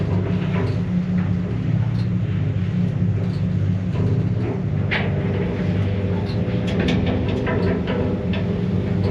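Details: Mogilev MLM 400 kg passenger elevator, 2004, UL station with PU-1 board, after rewiring the door-drive motor phases that had hummed and heated during car travel. Steady, even low rumble with no buzzing hum on top. Normal elevator travel.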